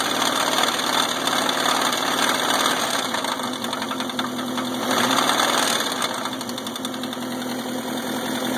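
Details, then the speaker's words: Subaru EA81 engine that runs smoothly with no missing and good oil pressure on the gauge: rough, uneven knock of around 170 per minute over the idle with a thin high ring, source unknown; engine knocking at idle. "Well, what the fuck is that noise?"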